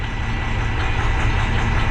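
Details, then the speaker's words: 2012 Ford, possibly an F450, with 6.7 Power Stroke diesel (a no-start truck) at steady idle during a cylinder cutoff test with cylinder 1 cut: idle roughens and the note shifts, so cylinder 1 is firing; cylinder 3 later shows no change. A turbo issue is also being chased. "Anyway. So, okay, we're going to do cylinder number 1."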